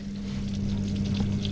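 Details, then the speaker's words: Newly fitted replacement drain (waste) pump on an LG washing machine after repair: steady low pump hum with water gurgling away, no grinding or rattling, no leaks; drain pump working normally. "i can hear it the water's going away yes yes a car mechanic has fixed a washing machine i've been so happy it's amazing it's draining and it's not leaking"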